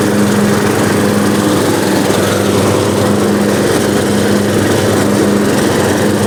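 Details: Small lawn mower started after sitting outside all winter on stale gas. The small single holds an even, unbroken hum with no misses or surging; it runs smooth and healthy.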